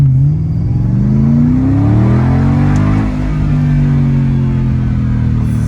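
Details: Mercedes CLK 55 AMG at full throttle after fixing limp mode and poor throttle response with a $175 part replacement; the owner had suspected a throttle or accelerator position sensor. The note climbs strongly with a shift near three seconds, pulling with full power.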